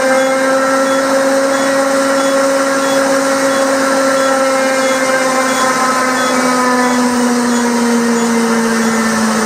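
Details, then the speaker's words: Purcell Mountain Lodge hydro Pelton turbine generator restart, valve opened toward 7.7 turns full open after low-power check (suspected nozzle ice, debris or air); steady rushing water under even whine shifting pitch as runner speeds up; normal spin-up. "It's got to take a while. This is starting to turn. Watch it."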